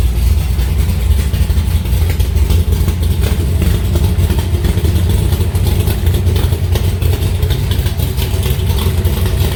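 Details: Alumacobra (Cobra) V8 idling in the garage just after its first start in two months, run to get oil through the engine; deep, steady burble with an even, unbroken beat and no knocks or stumbles. Normal idle.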